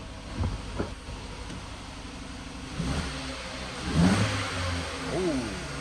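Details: Freshly finished engine run after fitting alternator, belt and exhaust, engine light on: catches and revs up in a few short blips, then settles to a steady idle; may run rough a while; running normally.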